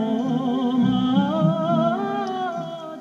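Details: Car radio cassette player: music plays low, thin, wobbly and distorted with wavering pitch; causes considered were stretched belt, pressure roller, motor.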